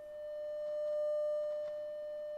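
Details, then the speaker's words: Telefunken Operette 8 tube radio restoration, 600 Hz 100 mV signal into pickup input: clean, steady mid-pitched tone without wavering or crackle; audio stage passing test signal properly. "I've got a 600 ohm 600 Hertz signal coming in it's at 100 millivolts or a mess and I'm going to drop the volume turn on pick up input and we have our signal"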